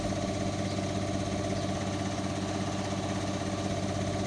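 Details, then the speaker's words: Indesit washing machine after bearing replacement, which required cutting the drum housing: steady, even low hum at high spin speed, no rumble or grinding; new bearings sound healthy. "no obvious problems normal noise basically so being good right we're now entering uh quite a high speed still no problems amazing difference new bearings have made picking up speed now"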